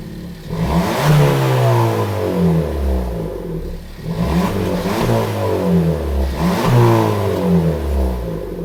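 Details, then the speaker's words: Suzuki Swift Sport with both intermediate silencers removed: three clean free-rev blips rise and fall with a deeper but restrained exhaust note and no puffing; sober and leak-free, more pep than stock; normal revving. "Bon, bah, c'est plutôt pas mal. Moi, je suis assez satisfait du résultat. Comme on l'attendait, c'est plutôt sobre. C'est mieux que d'origine, ça met un peu plus de peps."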